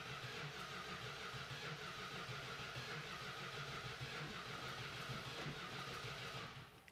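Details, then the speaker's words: Dodge Hemi Daytona automatic, first start attempt: even starter churning at about three beats a second with no firing pops, then cuts off; cranks but won't start; timing seems close, no spark through coil suspected, unconfirmed. "Nope. All right, well, first attempt is a no-go. So, Ryan, if you want to shut us down, I'm going to check the firing because it sounds like our timing is close, but I don't know if we're getting fire through the coil."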